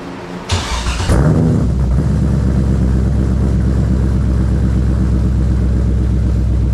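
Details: BMW E46 with LS6 V8 swap, first startup after reinstall: cranks briefly, catches at once and settles into a deep, steady, even V8 burble with no misses or knocks.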